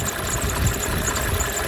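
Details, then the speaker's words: 1987 Mercedes 300 SDL with OM603 diesel at idle: a wavering high chirp about three times a second over the clatter from a just-installed remanufactured alternator, fitted because the old one wasn't charging; the squeal is new. "It had no charge, so I had a remanufactured one here in inventory and it squeals like a son of a gun, as you can hear in a moment."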